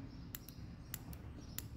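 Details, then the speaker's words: ABS hydraulic unit solenoid bench-tested off-vehicle with a battery, relevant to a sinking brake pedal: crisp sharp clicks in quick pairs about every 0.6 seconds over quiet background; solenoid pulling in and releasing normally. "Então se você pega o seu freio baixando, você pode fazer isso aqui. Olha o barulho do solenoide batendo."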